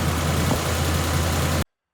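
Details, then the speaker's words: 2004–07 Ford 5.4L 3-valve Triton V8 at idle after VCT solenoid replacement, before which it rattled like a diesel: smooth, even rumble with no rattle or ticking; it now runs normally. "Okay, let's fire it up. Boom, and go see how she's running now. Sounds way better."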